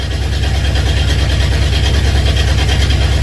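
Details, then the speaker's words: Honda CB750 K2 four-cylinder motorcycle with new electronic ignition: low lumpy uneven beat, two of four cylinders not firing; ignition ruled out, carburetion fault found, carbs pulled for cleaning. "It sounds horrible. It does. Think of the stress going on with that crankshaft at the moment. Some cylinders providing power, others not."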